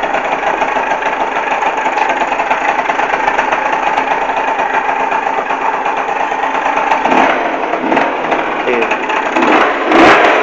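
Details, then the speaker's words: Neo's 70 two-stroke scooter kick-started and idling with a busy, buzzy note and throttle blips: an odd noise that continues one or two seconds after switch-off and sounds louder at the exhaust than the kick-start side; abnormal engine noise, cause unknown. "Donc voilà, quand j'enlève enfin quand j'éteins le scooter, le bruit continue un peu genre une seconde voire deux."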